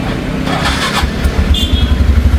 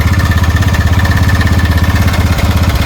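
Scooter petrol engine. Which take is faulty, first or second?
second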